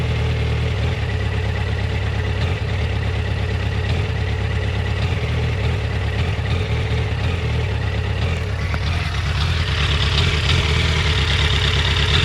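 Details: Yamaha FZ1 warm at low rpm: uneven lumpy loping idle about three pulses a second, jerky; coils in spec when cold, plugs about 6000 km and 2 years old; rough idle, cause unknown.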